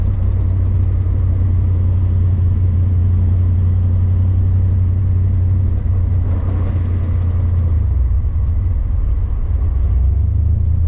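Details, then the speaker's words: 1983 Firebird, off the road for years, warming up: a loud, rough roar with harsh mechanical racket under load and zero oil pressure on the gauge. The engine is starved of oil, and a top-end tick was heard earlier. "oh it's cuz we've got zero oil [Music] pressure I wonder how much damage we did when I looked at this gauge"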